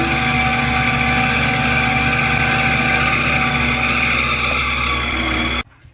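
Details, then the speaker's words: Two-speed 7x14 mini lathe, returned eBay unit, stock motor at high speed during facing cut: loud strong whine and rough hum, harsh noisy motor; motor upgrade planned as the fix. "Pay close attention and listen, because this is what you're going to be dealing with. We're going to show you what it works with a new motor. We're going to put a better motor on it and show you the difference."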